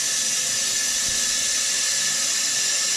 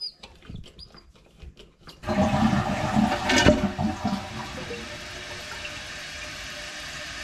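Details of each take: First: Toilet fill valve making a loud, steady high hiss of rushing water, with the tank filling slower than usual, caused by debris inside the fill valve. To be cleaned out, or the valve replaced if that fails. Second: Toilet tank refilling after cleaning and reseating the fill valve: a few light clicks, then flush settling into a soft, even refill rush, no more hissing and filling much quicker; normal refill.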